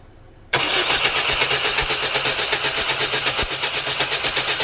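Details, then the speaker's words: Chevy S10 4.3L V6 crank no start: starter churns about four beats a second with an uneven sucking rhythm and no catch while spark is checked; ignition timing is off, distributor or distributor cap suspected bad. "And I don't know if you heard it, how it did that little like sucking sound and all that. That right there, huge dead giveaway. That lets you know your ignition timing is off."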